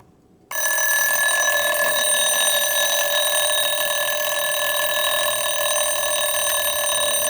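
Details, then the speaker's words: Jaeger LeCoultre recital 24-hour alarm clock with 8-day movement, fully wound, time advanced to trigger the alarm; in excellent condition. Sudden, steady, continuous bright bell ringing with no faltering: alarm rings normally. "And what would happen with this mechanism is the alarm would only go off every 24 hours, where most alarm clocks would ring every 12 hours."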